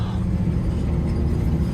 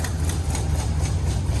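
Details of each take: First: Classic International pickup driving on a snowy road, steady even low rumble with wind and snow hiss, no knocks or misses; engine running healthy with good oil pressure. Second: Classic International 150 pickup V8 in a cold shop: deep, lumpy idle with one cylinder dropping out, a misfire; after it cleared, all eight cylinders fired and it ran well.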